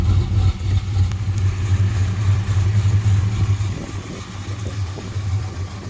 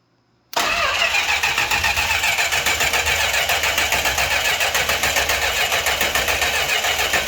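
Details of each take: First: 1968 Chrysler Newport Custom with Holley Sniper fuel injection and Hyperspark ignition, idle timing set around 18 degrees, where it ran smoothest; low even rumble, steady beat, no stumble, eases off slightly; normal idle. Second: 1968 Chrysler Newport Custom with a newly installed Holley Sniper EFI and Hyperspark ignition (MAP reading 99 kPa): the starter cranks steadily at about three or four turns a second with a crank signal, but no fire; crank, no start.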